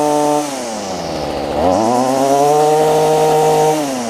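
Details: Stihl FS45 two-stroke trimmer after a replacement carb (old diaphragms bad), fuel lines and fuel filter, unadjusted, in cold weather: a clean, bright buzz that drops, revs up smoothly and holds steady without stumbling. Runs great; the high-speed mixture may need slight adjustment.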